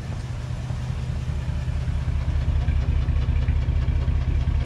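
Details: 2007 Jeep Grand Cherokee 3.7L V6 idling with code P0202: deep uneven lope, stumble about twice a second, cylinder 2 misfire from an open circuit in the injector circuit.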